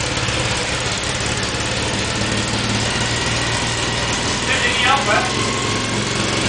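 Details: Tuned Mini 1380 engine at first startup after a complete rebuild: strong, even petrol engine note holding steady with a crisp exhaust bark and no knocks or rattles; it sounds healthy.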